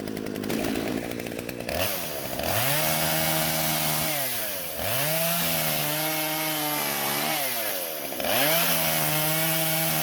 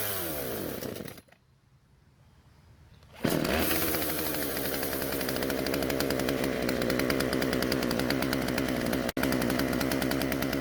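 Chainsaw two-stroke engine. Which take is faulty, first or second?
second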